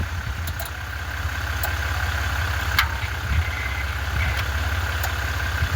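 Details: 1996 Ford Mustang GT 4.6 after starter work: low, even chugging at roughly eight to ten beats a second without catching; it cranks too slowly to fire, with a weak battery suspected.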